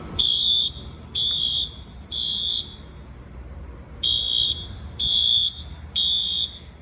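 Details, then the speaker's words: Sprinkler waterflow alarm test: high shrill horn blasts about half a second long, roughly one per second, then stopping; waterflow alarm horn sounding normally. "Oh, it's just been so long. This sounds like a 6160 alarm mode."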